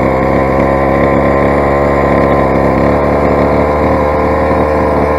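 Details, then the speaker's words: Rovan 45cc big bore two-stroke engine, first run, modified exhaust header and pull starter: loud raspy uneven high drone; runs poorly, owner suspects carburettor settings. "if you ability test the Chinese engine it does sound quite poorly now say"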